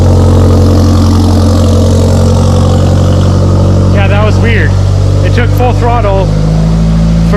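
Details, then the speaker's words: Mitsubishi Evo with used engine at first start after install; deep, steady idle with even low drone, no knocks or ticks, about 80 psi oil pressure, no leaks: normal healthy idle. "a couple seconds and she fired up sounds healthy sounds really really healthy"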